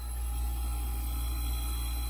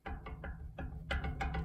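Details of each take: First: 1980s Super dehumidifier with Samsung 1/6HP reciprocating R-12 compressor, 120VAC, tested before restoration with its dead fan disconnected and a box fan used instead: steady, very quiet low hum, no knocks or rattles; compressor running normally. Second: 1980s Super dehumidifier fan motor rocked by hand: dull clicks about three per second as the shaft moves up and down in badly worn bushings; when powered it sticks in one spot and the fan barely works, so a replacement motor is planned.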